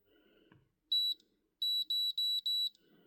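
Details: 2012 Ford Mustang GT while clearing codes: short high beeps, one then four in a quick row, from the scan tool; meaning not given.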